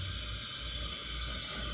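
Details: Soft, steady hissing roar with no sputter or popping and an even flame. A restored Albert Lea Foundry Tourist camp stove burns normally after its generator was preheated and gas was fed to the secondary burner.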